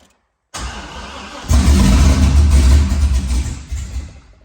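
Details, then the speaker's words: Car reassembled after bellhousing fluid leak, half tank showing: engine catches and chugs unevenly at about four low, lumpy pulses a second, starving for fuel; fuel pump not running due to unconnected ground, oil pressure building, no leaks. "He's not getting any fuel, but oil pressure is building. And no leaks."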